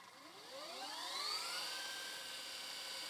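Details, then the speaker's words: Panasonic PV-VS2841 S-VHS VCR (September 2003, 21 years old), fast rewind after a drop of silicone lubricant on the supply and take-up reel gears: a smooth whir climbs in pitch and holds steady; the earlier shriek is much reduced. "oh yeah okay that is way better than it was so if you have that shrieky noise on your Panasonic VCR you got to take it all apart just to put a drop of lubricant"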